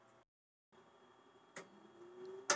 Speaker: keep an eye on the floppy drive led which is right here on this particular model too when i power this on hopefully that flashes three times and we should hear the accompanying clunk of the head loading and unloading here we go